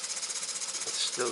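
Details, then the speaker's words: Small gas-fired 3-inch boiler driving a Muncaster table engine, 1-inch bore, just over 1-inch stroke, pressure recovering toward 60 psi, roughly 300 rpm estimated; crisp, even exhaust chuffs about ten a second as it picks up speed; runs healthy. "You can probably see now that the boiler gauge is getting back towards 60 and the engine is again picking up."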